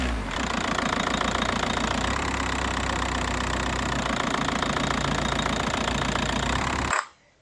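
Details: VW MK4 Golf Variant TDI diesel after replacing a bouncing belt tensioner, the belt, and worn/broken engine mounts: idles with its usual clattery, fairly even knock, no thumping or surges; steady and healthy, with cabin vibration much reduced.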